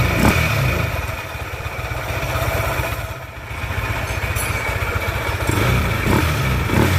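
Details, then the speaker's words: Yamaha NMAX scooter at idle, CVT pulleys and roller housing removed: uneven low clatter at about four beats a second that gets busier on light revs; not CVT, crankshaft/cylinder block area suspected. "the sound is still rough, which means the main cause of the roughness is not the CVT part, but the side of the crankshaft or the blog part,"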